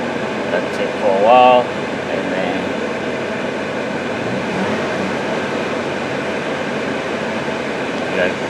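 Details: 2007 Toyota Tacoma, engine running with A/C on, 80 degrees outside. Smooth, even rush of air from the vents over a low engine hum, no rattles or squeals; vent temperature dropped under 60 degrees.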